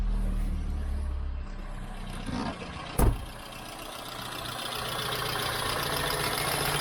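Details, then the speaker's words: Peugeot 106 first start after fitting a new high-flow fuel pump: catches on first turn with a short burst, then settles into steady even idle; clean start, fuel pressure set to 3 bar. "Du coup bah on est prêt pour un premier démarrage. Hop là. Ah, quart de tour."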